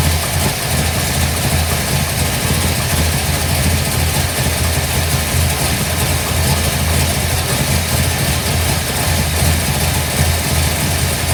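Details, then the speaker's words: 1955 Bel Air with freshly installed 572 big block (860hp), hydraulic roller cam, new headers, 40 series Flowmasters: first start, deep smooth lopey idle, early tapping stopped; computer still learning; normal idle. "Well, as you can see, sounds great. It's going to run great."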